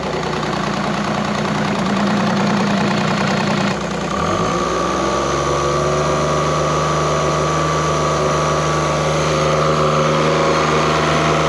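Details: Evinrude E-Tec 90 outboard after it went into safe mode: following repair of a corroded injector wire and cleaning of the injector connections, it runs a smooth, even idle with a steady hum. Diagnostics show no active faults.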